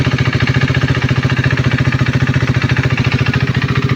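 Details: KTM Duke 390 V2 at idle: a light, even tick about three or four a second over the single-cylinder idle, coming not from the engine head but from the ECU-driven purge valve solenoid on the EVAP canister-to-throttle-body hose; normal.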